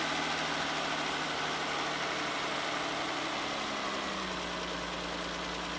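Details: 1994 Ford Probe GT just started cold, idling steady but slightly fast with an even hum; external gauge reads a little over 60 psi oil pressure while checking a suspect oil pressure sending unit; normal cold fast idle.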